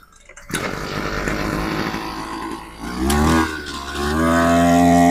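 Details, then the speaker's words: Ogawa BG430DT brush cutter after service (spark plug changed, carburetor cleaned, then failed carburetor replaced with a new one): engine catches, blips up twice and settles into a steady high buzz; small two-stroke now running normally. "Kita dah tukar semua. Sekarang dah boleh dah."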